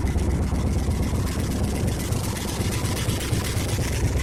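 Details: Rusty 1976 Ford F100 V8 truck idling with a deep rumble and a rough, puffing pulse from an exhaust leak.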